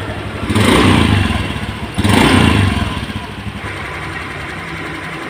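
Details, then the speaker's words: Honda Beat scooter after replacing bearings (6205 and 6007): two quick throttle blips then a quiet, smooth, even idle with no rumble or bearing growl; the rough engine noise is gone. "ini sudah saya Nyalakan Alhamdulillah mesinnya kembali halus [Musik] sudah adem suaranya"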